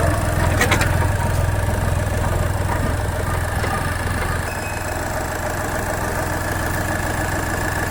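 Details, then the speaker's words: Skoda Fabia diesel with VW Polo engine that had died while driving; started and held on the accelerator 5–10 seconds so injectors won't lock; steady even diesel clatter, firm low drone, no knocks or misses; running normally. "पाँच से 10 second हमें accelerator पे रखना है, और फिर हम engine of कर सकते हैं, क्योंकि हमारे इंजेक्टर अब लॉक नहीं होंगे।"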